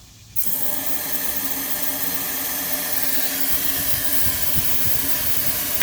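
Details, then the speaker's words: Ford 6.0L diesel, hot no-start but fine cold, air test of high-pressure oil system: steady loud hiss, no pressure build-up; air escaping at revised STC fitting installed 4 years/47K ago, leaking O-ring. "So I'm going to open the air now and you'll see where the oil is not really flowing oil, but the air blows out where you can see where it's striking."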